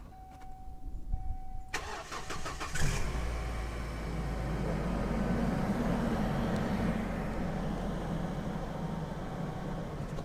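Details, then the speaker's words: Car left overnight, cold start after using anti-tap additive for noisy hydraulic lifters: cranks briefly, catches and settles into a steady even idle with no top-end ticking, where it previously clattered at startup; normal cold start. "есть даже вот никакого нет там ту ту ту ту туц ассоциации не черных все вообще реальность"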